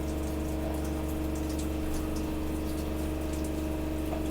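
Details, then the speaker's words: Gasland CG360LP tankless propane water heater, burner lit: steady drone with constant tone and water rushing through, no clicking or surging; normal operation. "I hear it clicking. It lit. It lit."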